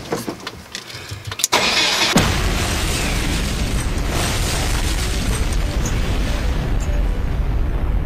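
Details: Porsche started after being filled with oil and taken off jack stands: brief crank, then catches and settles into a steady, even idle with no knocks or misses; normal start and idle.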